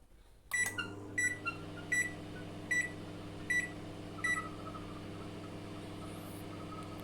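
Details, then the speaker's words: BGH microwave running after its open high-voltage diode was replaced with an R600: steady hum after a few beeps, with a faint thin whistle on top, which the technician attributes to the turntable motor. "un pequeño silvido ese como que Silva es el motor del plato que hace ruido"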